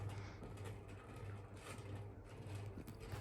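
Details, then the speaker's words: 1970s GEC Relite 140cm industrial ceiling fan running: soft, uneven rumble and faint ticking about every half second over a low hum from noisy worn bearings, considered minor, with refurbishment or replacement possible later. "So, yeah, the bearings are noisy, but as I said, it's nothing too major."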